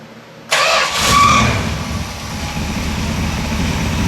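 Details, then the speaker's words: 1969 Road Runner with 500 miles, unstarted for about 25+ years, after a 40-year-old carburetor rebuild. It cranks briefly, catches, and idles down to a steady, even V8 idle. It had earlier blown the oil gasket, and a stuck oil pump relief valve is suspected. "And I can't believe it idled down like it did on this 40-year-old carburetor rebuild."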